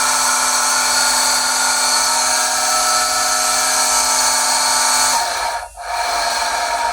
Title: Pool pump loud noise screeching Pentair SuperFlo VS 1.5 HP